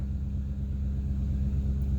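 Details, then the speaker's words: 2008 Ford Expedition V8, 176,000 miles, just started and idling slightly high, after replacing a bad cylinder 1 fuel injector (codes P0301, P0201): even, steady low rumble, no stumble or miss, no check engine light. "But we're idling smooth. You can hear that part's smooth."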